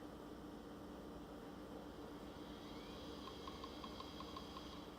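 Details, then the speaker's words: Old laptop at cold boot: faint, fairly even ticking a few times a second over a quiet hum with the hard drive light lit solid; drive suspected dead. "got something on the screen that doesn't sound good the hard drive indicator is lit solid and there's a slight clicking"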